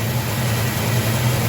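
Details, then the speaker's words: 1969 Plymouth GTX 440 big-block V8 with an Edelbrock 750 carburetor, idling after distributor timing was set by ear and vacuum, dialed back to 20° initial, about 37° total: deep, even burble with no misses or stumbles; engine still likes it, normal idle. "All right, I dialed it back to 20, which as you can hear, it still likes. Got about 37 degrees total, so there's a 17-degree swing in that distributor."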